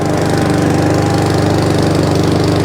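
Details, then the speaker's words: Job-lot mower reported as over-revving, loose airbox refitted, started on choke, drive working: holds a fast, even buzz that never drops back, as if stuck at full throttle, no throttle control; carburettor clean and setting planned. "No throttle control. Let's do the carburetor setting."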